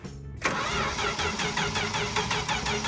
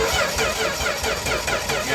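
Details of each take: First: 1964 Dodge D100 truck, sitting since 1996, fed gas poured into the carburetor: cranks, then catches unevenly with a ragged, stumbling beat that never settles to idle; the carburetor's accelerator pump is not working. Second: 1964 Dodge D100 short-bed stepside truck, sitting since 1996, cranking via jumper wires: steady Chrysler starter whir with even compression chuffs; sounds like it has compression, normal cranking.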